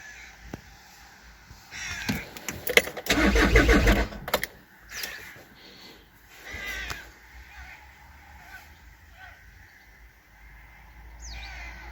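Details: VW with crankshaft/camshaft position correlation codes P0016 and P0341: starter churns in short bursts of steady cranking, but it never catches or picks up speed. A crank-no-start, with timing belt or serpentine involvement suspected, not confirmed.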